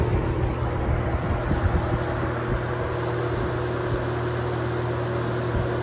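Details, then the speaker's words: Holmes HABF-20 box fan (Feb 1997), seller's note said "hums"; motor cleaned and freshly oiled. Power-off coast-down with a fading low hum and no grinding; bearings smooth and free, oil still working in. A decent spin-down. "Spin down should be a decent anyway. Not bad. Oil's probably got to work its way in there a little bit yet."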